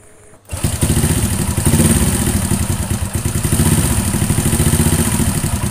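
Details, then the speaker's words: Honda Astrea Grand small single at idle: rough, even, rhythmic tapping clatter in time with the engine, caused by valve clearance set too loose, not the cam chain. "suara kasar yang berirama seperti ini ini disebabkan karena setelan klep itu terlalu longgar ya ini setelan buatnya yang terlalu longgar"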